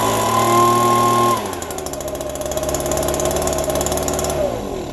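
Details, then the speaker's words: Small two-stroke yard tool still cold after a December cold start on a little fresh gas with a fuel drip; sharp buzz drops from high revs to a quick, even idle with steady firing and no misses, running normally. "Good to go, but of course it's still cold. Hopefully that don't leak all out, but it started and ran, everything fired up."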